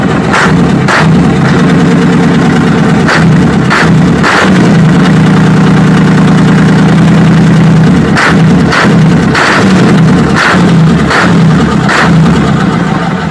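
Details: Mitsubishi diesel at idle: loud drone with uneven sharp knocks about every second; incorrect injection pump timing suspected. After cleaning, if knocking persists, the pump flange will be shifted.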